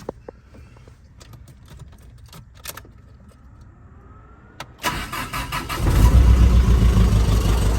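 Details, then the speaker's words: Starion/Conquest G54B, cold start: it catches within a second of a brief crank and settles into a strong, even idle. Owner suspects the wrong engine oil, but it smooths out once warm. "There we go. Starts up like a champ. Now, I have reason to believe that they have the wrong engine oil in here, but once she warms up, she smooths out and she runs like a champ."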